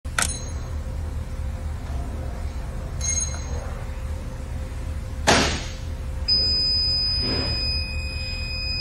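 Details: PylonTech US2000 lithium-ion battery, 48 V and 2.4 kWh, with its alarm LED on. After a few clicks over a faint hum, a thin high-pitched steady buzzer sounds. Battery alarm buzzer beep, being troubleshot.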